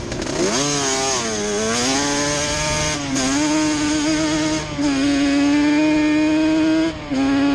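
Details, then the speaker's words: Yamaha Banshee two-stroke twin ATV after a misfire chase (new NGK plug caps, temporary eBay coil didn't cure it): carb needles moved back to middle position, crisp buzz revving and easing off cleanly, no stumble; miss gone, running clean and even. "the miss is gone so just moving the needles back up to the middle position straightened it out we're gonna take it for a spin now"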